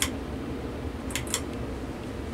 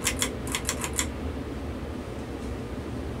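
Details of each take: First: 52-inch SMC wood-housing ceiling fan on high drawing 0.58 amps: steady low whir with a few sharp ticks from slightly noisy bearings. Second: 52-inch SMC wood-housing ceiling fan on medium speed, drawing 0.49 amps: about six light clicks then steady soft whoosh, running smoothly, bearings faintly audible; normal operation.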